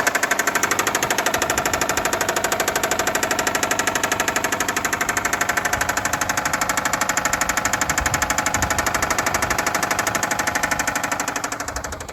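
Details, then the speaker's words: 2005 Subaru Outback XT, EJ255 turbo flat-four that apparently ran out of or very low on oil, with a 7-year-old battery; stalls when put in gear. Hard, evenly spaced metallic knocking over the idle is rod bearing failure in the lower end. "So this is what lower end rod failure or rod bearing failure sounds like on these turbo engines."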